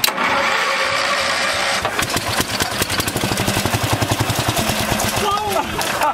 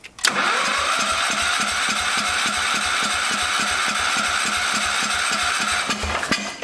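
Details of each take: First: 1974 Power King tractor, single-cylinder, pulled from a farmer's field after sitting about three years, fresh out of the barn with a new air filter; starter grinds, it catches within two seconds and settles into a steady, even thump. Starts and runs normally. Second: 1974 Power King tractor, plug wire off, cranking on an auxiliary fuel tank; even rhythmic cranking at about three thuds per second, never catches. The fuel pump only dribbles fuel instead of shooting it out, so it is weak and will be removed.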